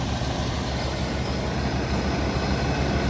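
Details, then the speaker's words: 1989 Ford F-150 XLT Lariat EFI after new gas tank, with about four gallons in it: low, steady rumble with an even beat and no misses or knocks, running properly where it didn't before. "looks like she's running it wasn't doing this before we only have four gallons of gas"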